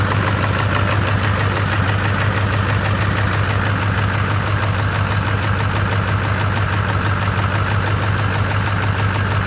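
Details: LB7 Duramax after new heads, injectors, injector sleeves, CP3, head gaskets and studs: steady idle with hard, even clatter about three knocks a second over the rumble; diesel knock at idle, cause unclear.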